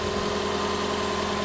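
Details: 2008 Lexus LS460 after replacing noisy serpentine belt tensioner pulley: steady even idle hum with constant low tone, no belt squeal or chirp; engine healthy, normal idle.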